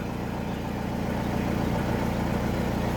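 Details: Mazda Fighter diesel after replacing the fuel hand-primer pump, restarted after a forgotten signal wire was reconnected and the glow plugs were preheated: steady, even diesel clatter at idle with no misses, hunting or stumbles. The engine runs properly.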